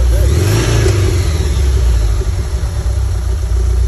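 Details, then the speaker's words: Flat-four engine in a 1987 VW Vanagon Syncro Westfalia, parked since 2001, idling low and even with a steady rumble and no knocks or misses. Judged as smooth as they get. "God, that sounds good at idle. That's not nice. That sounds as good as they get. Look at how smooth it is."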